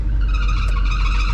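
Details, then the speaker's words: 1983 Mercedes-Benz 500SEC V8 idling with climate control fan running: thin steady squeal over the deep rumble from a slipping drive belt. "so you can hear the belt squealing."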